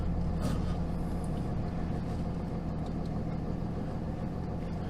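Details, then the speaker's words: 2007 Ram 2500 5.9 Cummins, G56 six-speed, about 250,000 miles, first start after installing a South Bend dual-disc organic clutch, idling in neutral: a light, uneven rattle over the diesel clatter. Normal gear backlash chatter from this clutch. "So initially, I can hear the chatter that they talk about with the southbend clutch. And they say it comes from the gears kind of backlashing against each other while in neutral, which that doesn't really bother me."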